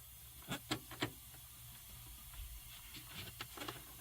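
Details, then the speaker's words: Freightliner big rig, engine off: faint continuous hiss of compressed air leaking from the air horn, under a few handling knocks. "We just got back to the house and Stephen discovered that he's got air leaking from the air horn."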